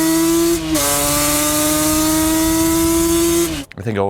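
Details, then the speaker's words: Custom-built Banshee two-stroke after the build, ridden through first, second and third gears; steady high buzz holds pitch, dips slightly at a shift, then pulls on cleanly with no lag, sputter or misfire. "Every single gear, no lag, no sputter. She's ready to go. She sounds good, she rides good."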